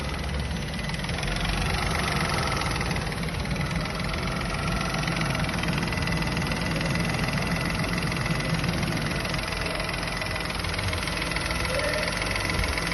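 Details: Normal family car engine, as checked when inspecting a used car for abnormal noises: steady, even idle hum with soft regular low pulse, no knocks or ticks; healthy at rest.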